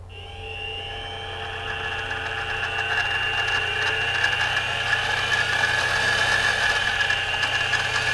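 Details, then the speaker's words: Central Machinery (Harbor Freight) mini mill after Little Machine Shop belt pulley conversion, first noise test: spindle spools up to a smooth, steady high hum, no gear whine or clatter, much quieter than before; normal spindle run. "wow wow [Music] much quieter now"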